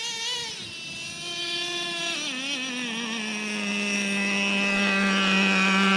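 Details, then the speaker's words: Traxxas Revo 3.3 nitro RC truck, final tune after break-in, warmed up, driving: high buzzy tone dips, then climbs smoothly and steadily pulling through the gear; normal revving, clean healthy engine. "looking good Revo 3.3 Nitro baby all right let's give her go one more time [Music] I like it instant throttle"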